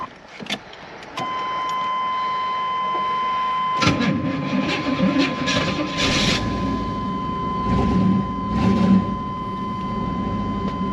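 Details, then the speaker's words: A short crank under a steady chime, then it catches at once and settles into a smooth, even idle; it starts healthy and sounds pretty good. "actually sounds pretty good"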